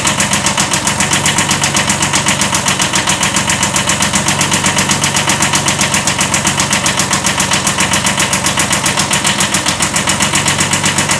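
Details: 1979 Kubota B7100 small diesel idling: sharp steady metallic knock about four a second, a slight rod knock.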